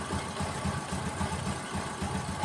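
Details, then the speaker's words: Honda Supra X 125 idling after pressing the piston to cure severe piston tapping, engine rebuilt one month earlier: quick regular putter, smooth with no tapping; normal idle. "Nah teman-teman di sini itu suaranya halus banget Tem kita ulangi lagi kita Selat nah suaranya itu halus teman-teman ya tidak ada suara ngetek lagi ya"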